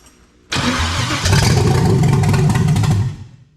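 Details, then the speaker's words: 1977 vehicle with a 5.3 LS carb swap (Holley carb, MSD 6014 ignition controller, Hawk Tuah camshaft), first start in 8 years: cranks and catches at once, then settles into a lumpy high idle with a deep loping cam beat; everything runs. "But everything runs. That camshaft don't sound too bad."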